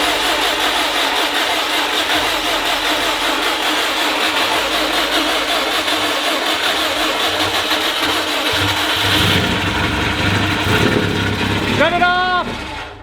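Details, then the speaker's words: 2004 Subaru WRX STI EJ on first start after a new head gasket: a reused rod-and-piston short block, built 7–8 years ago with unknown miles, stock cams and lash. Rough idle with a heavy, uneven metallic knock; suspected rod knock or bad piston slap. "sounds like rod knock it's either really [ __ ] bad piston slap or rod knock dude"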